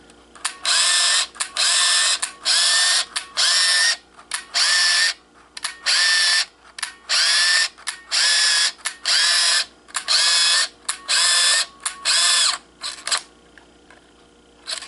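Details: Kodak KC30 35mm camera, final shots without flash to the end of a 24-exposure roll (about 27 frames taken): crisp clicks each followed by a ratcheting wind about once a second, then advance stops; normal.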